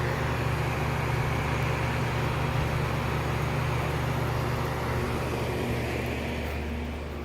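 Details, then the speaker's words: 2002 Lennox Elite series central AC outdoor condenser, 3 or 3.5 ton with a Copeland scroll compressor, starting for the season: low, steady hum with an even fan whoosh and no rattles or scraping; normal, remarkably quiet operation. "this is by far one of the quietest units i've ever seen"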